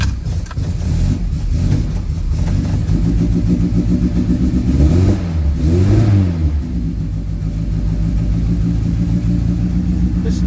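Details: Classic Mini Clubman Estate, cold start with choke out: catches and settles into an even idle, with a couple of smooth rev blips rising and falling cleanly; normal cold start and running.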